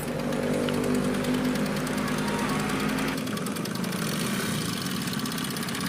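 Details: Honda CD 70-type motorcycle engine at idle, before timing chain replacement: a fast, dry clattering rattle from timing chain noise.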